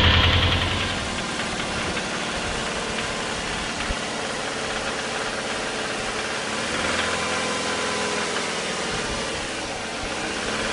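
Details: Subaru Forester SF5, EJ20 turbo boxer, automatic and manual variants: steady, even knocking under idle that never lets up; worn rod bearings.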